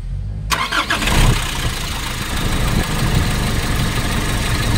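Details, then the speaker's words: Nissan NV350 diesel with valve cover off, after replacing injector washers and leak gone: cranks and catches, then a hard uneven clatter with vibration; fuel knock blamed on failing number three injector. "so wala ng singaw pero Napansin ko meron pa rin siyang vibration tsaka fuel knocking So ngayon ang Napansin ko rito yyung injector number 3 ang may problema"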